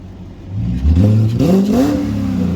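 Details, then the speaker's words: BMW 540i V8 after water pump replacement, coolant holding and no leaks: clean rev from idle climbs smoothly and settles, no knocks, rattles or misfire; a bit loud but exhaust sounds good, no smoke. "It's a little loud, if you know what I mean. But it sounds good. From back here, it sounds good. Exhaust sounds good. Sounds like a 540."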